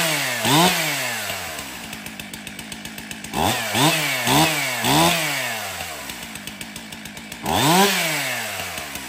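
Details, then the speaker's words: Stihl MS362 chainsaw, 7 years of hard use, in for hard starting and low power, test after service: steady ticking idle with quick, clean blips to full revs, instant throttle pickup before cutting hardwood; well tuned, runs excellent. "okay so the 362 starts good runs excellent so that wood that I'm cutting back there that is a hardwood I don't know if it's Maple or Oak but it's a very hard wood"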